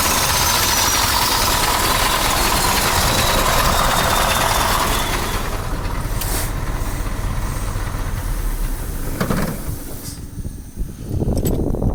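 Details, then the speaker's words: KAMAZ 740 Euro-2 diesel idling after repair with a steady, fairly even low beat and no knocking or foreign noises; it still consumes and leaks oil. "ну сейчас я вот заведу покажу как он работает вот посторонних звуков нету работает"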